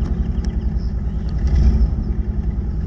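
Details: 1981 Toyota Tercel, carbureted, idling right after a jump start from a dead battery; low, slightly lumpy idle with a steady pulse, no knocking or scraping, engine still warming up from cold. Normal idle.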